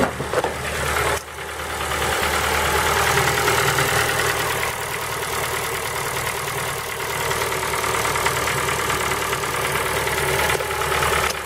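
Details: Ford Focus 3 PNDA engine at cold idle with a fast, sharp ticking knock at roughly three per second; cold-start knock, source still undiagnosed.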